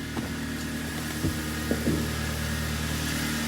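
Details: Kia Cerato TD G4FC engine after rebuild for heavy oil consumption, strong knocking and a disintegrated catalytic converter: steady, even low idle hum with no knocking or ticking over a quiet shop background. Normal idle.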